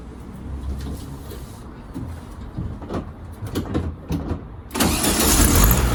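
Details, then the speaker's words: 1972 VW Beetle 1200 after re-adjusting loose valve timing, before an oil change: the engine catches and settles into a steady, even idle with no knocks or misses; sounds healthy. "sounds good to me"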